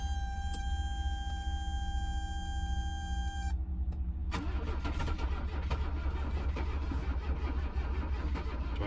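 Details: 1982 Mercedes 300SD turbo diesel, bought non-running, after fuel system work and cleaning: steady cranking with uneven catches that never settle into a run; it turns over but won't fire, cause unknown.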